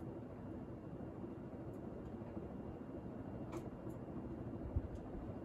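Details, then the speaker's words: 52-inch GE AirCool ceiling fan, garage-mounted about seven or eight months, on high speed: soft air rumble with a faint steady whine as it comes up to speed, shaking only very slightly; normal running. "let's go to high now does have a quiet whine to it when it comes up to speed"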